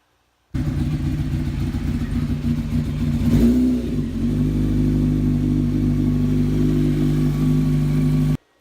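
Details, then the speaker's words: Honda CBR600 F4 inline-four after a carburetor fuel-leak fix and fresh oil: it idles, takes one quick blip, then settles to a lumpy, uneven idle; runs poorly, carburetors probably need syncing. "right well she's a runner but definitely doesn't run very good the carbs probably need synced"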